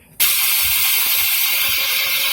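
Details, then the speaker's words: $7 scrap Razor electric scooter, solenoid latching itself, throttle just untaped: steady high-pitched electric whir starts abruptly and holds; motor runs, but stops working once the motor is allowed to stop. "Going. Alright, so if I let off the throttle, it does work, but when I let the motor stop, it does not work."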